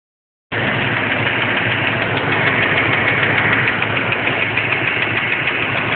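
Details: Engine at idle with a fast, light tick, about three a second, no misfire; owner suspects a lifter, bent pushrod, header gasket or pistons; cause undetermined.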